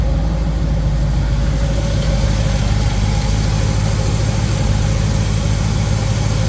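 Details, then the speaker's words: Small-block Chevy V8 with newly installed 1.6 ratio roller rockers, oiled rather than assembly-lubed: deep, even idle with no ticking or clatter from the top end; valvetrain quiet and healthy, normal idle before test drive. "it's not noisy Everything feels okay thing looks pretty good"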